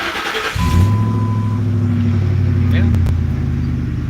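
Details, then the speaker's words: Ford F-150 4x4, about 205k miles, project truck bought as a crank-no-start: brief crank, catches quickly, then settles into a steady even idle with no chain slap or knocking; normal idle. "i think it sounds good um i'll close the door so you can see the mileage uh it's 205 k approximately"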